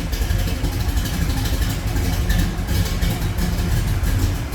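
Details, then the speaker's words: 1970 Chevrolet Chevelle with a 383 stroker V8 and headers, plumbed for fuel injection, warming up, heard from outside the car. Deep, even, lumpy idle rumble with no knocks or ticks. Normal idle. "I think we got this warming up now. I'll get out so you can hear it, and we'll check out the engine bay. Remember, 383 stroker, nice little candy sounding engine there."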